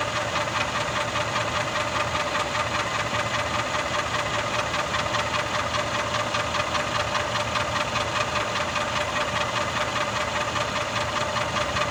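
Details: Mercedes M278 V8 (GL450/CLS550) at idle: even, fast tick/knock of about two and a half per second over engine hum, heard more from the bottom of the engine; cause unknown.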